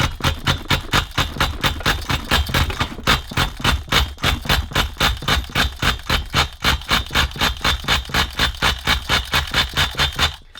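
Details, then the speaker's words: 20-year-old XTM Racing nitro RC monster truck engine, sat 5 years, running only on oil-aided compression: surging, pulsing run at about four pulses a second for ten seconds, sounding lean, then it fizzles out and stalls. Lean running suspected. "See, what happened was the oil that I put in there created enough seal to get enough compression for it to run. And then we heard it towards the end of it running started to sound like it was going lean, didn't it?"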